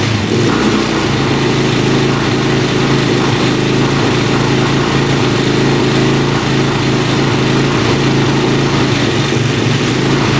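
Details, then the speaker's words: 2004 Suzuki LTZ400 quad, sat for 10 years, after running out the flooding fuel and adding oil to the cylinder. Steady, loud single-cylinder drone holding even speed with no misses or knocks. Owner suspects flooding caused the no-start. Normal running. "she fired up so I knew it was floating out so it was just not enough compression when the gas floods it out and uh the spark couldn't keep up probably"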